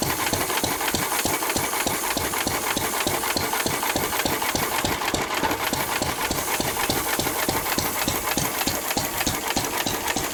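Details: 1923 3.5 hp Emu (rebadged Hercules) stationary engine, restored early 1980s, first start in 20+ years, after oiling a sticking magneto/exhaust valve linkage: crisp even exhaust beats about three a second with valve clatter, no missed strokes; normal hit-and-miss running.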